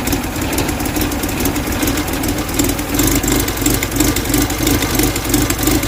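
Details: 1969 Mustang body on a 2.3L engine with new hybrid HEI ignition and NOS distributor, just after startup: steady, even idle with a smooth low pulse and no knocks or misses; healthy engine, oil pressure 69 psi.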